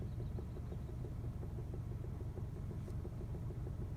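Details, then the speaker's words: 2011 Chevy Malibu, sitting still while rocking the steering wheel: low dull knocks about five or six per second over quiet idle; front-end clunk believed in the steering column, covered by GM bulletin 15356 with extended warranty. "i have this front end clunk i think it's in the steering column but here's the noise right there right there"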